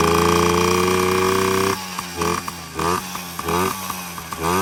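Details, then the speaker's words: Yamaha PW50 two-stroke with new top end, on premix, intake not yet fitted; buzzes at high steady revs then repeated clean blips, loud open-intake roar, otherwise healthy running. "Just gotta put that intake on. Sounds like a loud intake. Yeah, pretty cool."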